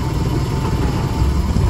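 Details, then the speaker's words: Mitsubishi Mirage manual after a clutch cable replacement, handbrake on, first gear engaged; steady low idle with an even beat, clutch biting immediately with no judder or grinding, though a crunchy pressure-plate noise was noted earlier; normal idle with clutch engaged. "So ngayon, testingin natin. Kinambyo ko ng Primera. Ayan, kumakagat agad"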